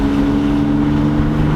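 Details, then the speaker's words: BMW E30 with an untuned eBay turbo, in second gear around 3000 rpm under load. A steady engine drone with a rough clattery top-end edge. Oil pressure peaks only at 25, not enough to reach the head. Top-end noise from low oil pressure. "so we'll take it for a little drive right now and it sounds terrible i don't know how this car doesn't blow up it literally refuses to blow up"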